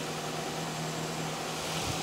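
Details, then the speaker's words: 2010 Nissan X-Trail T31 2.5 L after alternator repair, engine running with headlights on: even running with no whine or squeal, previous screaming noise gone, charging 14.4 V, no battery light; normal alternator running. "See if we got rid of that noise and see if we've got some charging happening. [Music] Yeah, that sounds a bit better."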